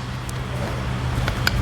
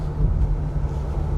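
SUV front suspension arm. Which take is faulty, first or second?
first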